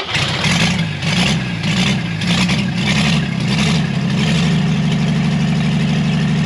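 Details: Chevrolet Blue Flame stovebolt six, long-sat engine out of the truck, first test run with a sink instead of a radiator, thermostat opened manually, thicker coil-to-points jumper wire: smooth even low rumble, no knocks or misfires; running healthy.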